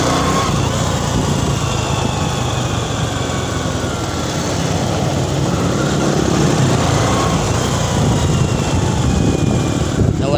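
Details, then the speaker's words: Honda XRM110 motorcycle road test in second gear after overhaul replacing damaged second gear: smooth pull, former gear noise gone, only normal engine and exhaust noise. "na yung kanyang ah tunog helicopter goods na goods Lera kwarta so yan mga Dias okay na at nawala na yung kanyang ingay"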